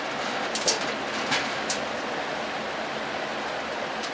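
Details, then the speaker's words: Junkyard Torcan box fan running: steady, soft rush of air with no grinding, a quiet fan that shakes a little. "It's actually a nice quiet box fan, man."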